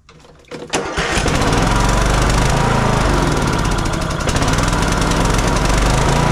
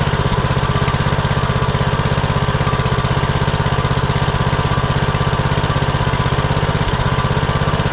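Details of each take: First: Kohler Courage 19 on a Troy-Bilt Bronco 42" riding mower with an aftermarket carburetor: engine catches and runs slightly lumpy on choke, but dies completely with choke off; air-fuel mixture problem suspected, not confirmed. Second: Kohler Courage 19 on Troy-Bilt Bronco 42" riding mower, previously surging and dying off choke after aftermarket carburetor install; after fitting new carburetor and gaskets, no adjustment: even steady idle, regular beat, no hunting or dips; runs beautifully.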